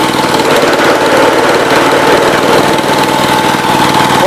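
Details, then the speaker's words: Cub Cadet 122 tractor with a mounted 42-inch snow blower, driven by a non-original TSC belt: loud rapid hammering clatter over the running engine with a steady whine on top; owner says the blower bearing is worn, a little smoky. "sounds like a bag of hammers, but it is working. It is the blower bearing, so a little smoky in here now, and let me go find something to sit on."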